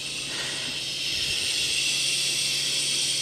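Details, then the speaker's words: Mid-1980s La Pavoni Europiccola two-switch lever espresso machine, boiler around 0.75 bar set by a regulator valve, no pressurestat: lifting the piston lets a bit more steam escape, a soft steady high hiss rising slightly; normal. "you lift the piston, you can hear the little bit more steam escape."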